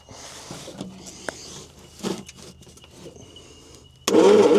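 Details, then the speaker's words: 1972 Bedford J series truck, long sitting: slow, labouring cranking with no firing at all, engine has compression and spark; ignition timing found out at the distributor, causing the no-start. "To me, it doesn't sound like it's winding fast enough to do anything at all. But we'll see."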